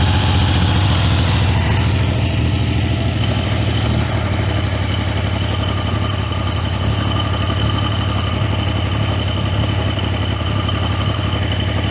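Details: Triumph T150V triple after top-end rebuild (heads and cylinders off for oil leaks), started second kick: steady even idle, regular firing pulses about three a second, no knocks or ticks; clean and healthy.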